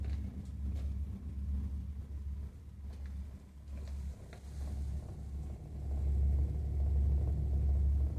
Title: Burnham Alpine Boiler makes rumbling noise #boiler #rumbling